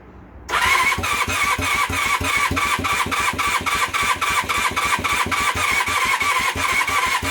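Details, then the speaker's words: Temporary twin engine newly fitted to a project motorcycle: starter churns in even pulses for several seconds with plugs and fuel connected, but the engine never catches; owner suspects a weak battery. "the batteries not at its best okay right and then give the battery a little while to charge and then we might try that again"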